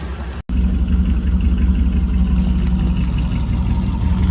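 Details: 2000 Chevy Tahoe Vortec 350 V8 after fixing a crank-no-start caused by corrosion crossfire inside the distributor cap: steady, even idle with a low, smooth rumble, no misses or stumbles after a brief cut; runs clean.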